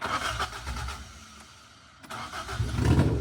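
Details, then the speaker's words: Rebuilt 4AGE engine in a 1975 Toyota Corolla KE35, open exhaust manifold with no exhaust fitted, won't hold idle: revving under light throttle, loud and raspy but firing evenly with clean pickup and steady settle; sounds healthy. "Sounds healthy though. Sounds healthy."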